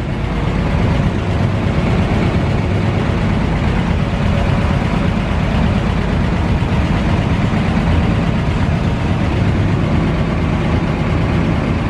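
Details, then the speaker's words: 1940 Dodge VK62B 3-ton ex-RAF truck, petrol, started after months unused on old fuel, choke eased off: now warmed through, low even steady rumble with no misses or knocks before driving out; normal warm idle. "well she's warmed through a bit now so let's see if he'll actually drive out"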